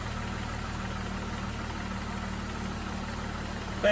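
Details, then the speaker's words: Jeep after replacing the failed cooling fan relay (second in two months) with heat-conducting fix: even idle with steady whir of the two-speed fan on low, fan shuts off with ignition; no surging. "currently running on low it'll kick the high when things get really hot"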